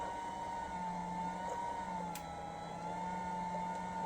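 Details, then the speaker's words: Ryobi RYI1000 1800 W power station just after running a coffee maker: steady, slightly wavering mid-pitched fan whine over a low hum, no knocking; cooling fan running hard under heavy load, normal. "and wow that thing makes some noise that fan huh it's supposed to but it's a weird sound"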